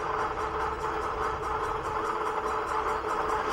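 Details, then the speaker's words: Bike front wheel spinning: steady whir with a faint, quick metallic "ding" each turn as the brake disc rubs. The wheel is knocked off center by bumps when ridden. "and I don't know if you can hear that disc brake rubbing it's actually ding ding ding ding cuz it's metal"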